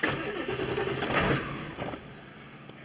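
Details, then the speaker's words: 2000 Ford F-350 with 7.3 Power Stroke diesel on stock setting: cranks, catches briefly, then dies; on the high idle setting it searches for 1200 rpm with an erratic idle; diagnosed by monitoring ICP and IPR with a scan tool. "she's going to start and die okay so we'll flip her over to the high idle setting and see what she does"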